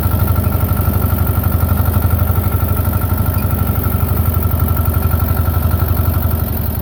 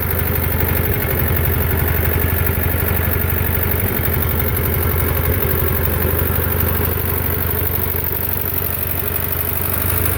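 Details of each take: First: Belarus 250 tractor, 2-cylinder air-cooled diesel, sat for years, running again; during PTO and three-point test, steady even clatter at constant speed, no misses or knocks; normal running after repair. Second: Belarus 250 tractor, two-cylinder air-cooled diesel that sat for years, at about 3/4 throttle: an uneven, surging chug that struggles to hold speed; it only runs near full throttle, from fuel starvation by debris fouling the lift pump valves.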